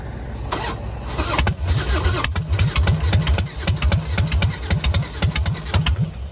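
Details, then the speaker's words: Damaged motorcycle at Copart auction with full fuel tank, in neutral, battery possibly weak: starter churns in uneven bursts about two a second with firing pops, has compression but never fully fires; crank no start. "I mean, you can tell it's getting some kind of compression. It was, you know, catching boom, boom, boom, boom, but it just wouldn't fully fire up."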